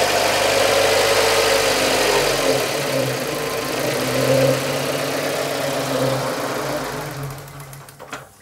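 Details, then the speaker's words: 2000 K11 Nissan Micra Sport, over 85,000 miles, run again after 10 years stored and given fresh fuel: with the idle control valve disconnected, the engine catches, sags and dies. It cannot hold idle without the valve, suggesting the valve was stuck. "so you've disconnected the idle control valve you've taken it off and it now won't start"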